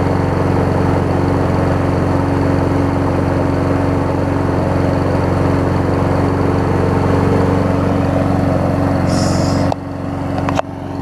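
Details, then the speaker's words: Troy-Bilt self-propelled mower with donor Honda engine replacing blown Briggs, pre-2012 engine on post-2012 deck; driving under self-propel, strong steady drone with no surging or misfiring, cuts off cleanly; running better than originally. "I think it wants to take off. I can already tell it's running better than when I originally had it."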